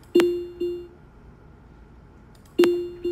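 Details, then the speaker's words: Tesla front seatbelt unbuckled warning chime: two pairs of clear ding tones, sharp strike then softer echo, repeating about every 2.5 seconds; lower tone means front, higher tone rear. "앞좌석 안전 벨트 를 착용 하지 않았을 때 나 는 소리 입니다 ."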